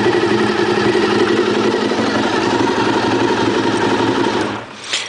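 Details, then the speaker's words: 1996 Honda RVF400R (NC35) V4 with gear-driven overhead cams and fresh synthetic oil, idling cold, idle set slow at about 1250 rpm: a slow, slightly uneven idle with a steady gear whine; later the owner reported a bad bottom-end noise. "I'll start it up so you can hear it. They've got a unique sound that those gear-driven overhead cams. I'll let it idle for a second."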